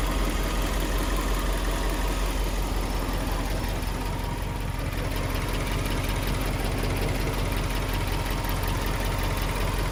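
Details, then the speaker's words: Idling twin-turbo Subaru Liberty B4 engine with an uneven, loose rattle at roughly two to three per second over the low rumble; seems loudest on one side near the top of the turbo, owner suspects something timing related, source unclear. "Well, this sounds like it's coming from here. Could be something timing related?"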